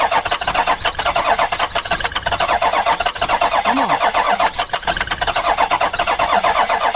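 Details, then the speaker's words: Ford Super Duty 6.0 Power Stroke diesel, a cheap, worn truck, cranking steadily at about four to five pulses a second with a small splash of starting fluid, but it never fires. "Nope, I don't think it's enough."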